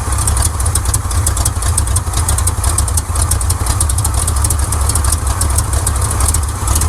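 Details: 1979 Chevrolet C10 Custom Deluxe after a timing adjustment: rough, lumpy idle with an uneven low thump and a periodic stumble, still misfiring on at least one cylinder. Timing ruled out; owner suspects fouled spark plugs.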